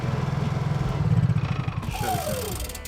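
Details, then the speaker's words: Honda EU3000iS generator after installing a wireless remote start system with automatic choke, test-started with the remote button held for extended choke: engine catches with a quick, even chuffing beat and settles to steady speed; normal start. "Very good. We are operational, ready to go to work."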